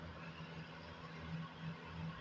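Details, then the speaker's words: Comfort Zone space heater at 1500 W after repair of its intermittent switch. A quiet, steady low fan hum with no rattles or scraping while it heats well. The switch works properly and the heater runs normally. "oh yeah getting nice and hot switch works properly thing will kick on and off whenever it's needed"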